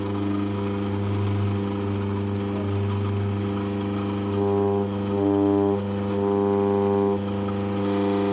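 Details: Eureka Mignon Single Dose coffee grinder running: the motor holds a loud, steady low drone with a hollow, resonant hum that swells and shifts in pitch; abnormal vibration and droning noise, cause unknown.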